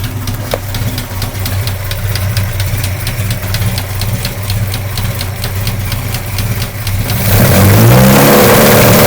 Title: GTI knocking sound